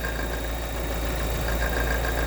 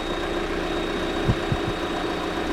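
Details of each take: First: Steady idle with a light, even tapping over the engine note that stops when the camshaft is pressed; exhaust camshaft knock. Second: 2023 Lada Vesta NG automatic, car jacked up, checked from below for exhaust camshaft knock while warming: steady idle with an even hum and no ticking or knocking from the top end; diagnosis found it healthy, normal idle.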